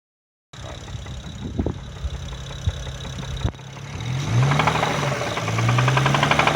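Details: BMW 335i N54 engine at steady idle, dull fairly regular knock about three to four times a second; possible rod knock from spun bearing, unconfirmed.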